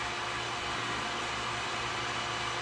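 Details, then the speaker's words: Vacuum pump bagging a carbon fibre pump stuffer for a Kawasaki X2/SX while the epoxy cures: loud, steady airy hiss over the pump's even drone. Major air leak into the bag, found by ear. "i've got a major amount of air leaking in fortunately i can hear it oh it's right here this is definitely not good"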